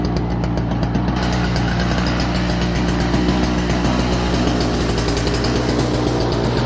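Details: Toro CCR2450 snowblower, 141cc R-Tek two-stroke on mix gas, after no-start repair with carburetor cleaning: steady, even buzz at constant pitch with no stumbling or surging; running healthy.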